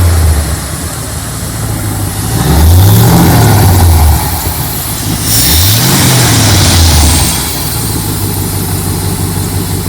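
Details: Jeep 4.7 V8 salvage engine with cold-start issue, after new higher-voltage ignition coils and earlier new plugs: two quick revs then drops back to a smooth, even idle with no stumble or misfire.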